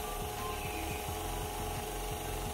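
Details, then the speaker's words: Electric fan that would no longer spin, after an inexpensive screwdriver-only repair: steady mains hum with soft even whirr and light repeating swish, tested on speeds 1 to 3; fan motor runs normally. "Engine की आवाज घुमाता है 1 , मैं 2 से 3 को बिजली देने की कोशिश करता हूं , यह ठीक है, जब तक यहां हम मज़े कर सकते हैं क्योंकि यह काम करता है,"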